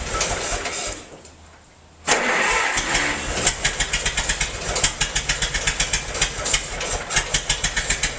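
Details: Massey-Harris 44 tractor stored about 10 years, new points, starting after cranking: loose, uneven popping beat about four a second with missing pulses; cylinders 2 and 3 not firing, owner suspected stuck valves, plugs or wires; a stuck intake valve was found.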